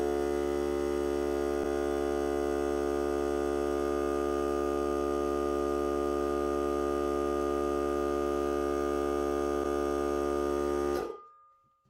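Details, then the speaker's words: Hart cordless battery air compressor during break-in testing while supplying a regulator: even, unchanging hum that stops cleanly at cut-out around eleven seconds; about 1 minute cut-in to cut-out, max 125 psi; normal recharge cycle. "Compressor takes approximately 1 minute from the time it cuts in till the time it cuts out."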